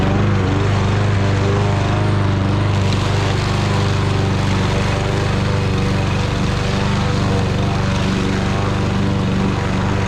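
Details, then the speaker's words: Fairly new Troy Bilt lawn mower with low compression, previously a no-start, running after its tank was drained and its carburetor cleaned: steady, even buzzing drone under load in thick grass, no misses or surging; running better than expected. "well that's a wrap we got it running and it's running a lot better than I thought it would going through that thick grass"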